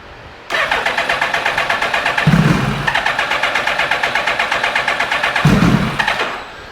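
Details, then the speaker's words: 2000 Suzuki Hayabusa with a possibly newer (about 2002) engine, after fitting new coils, showing code C21 (believed airbox sensor), low on fuel: about six seconds of quick, even starter churning, never fires; cranks, no start. "well she still do want to fire off got a c21 I believe that's airbox we are a little bit low on fuel but she still does not want to fire up and fire off"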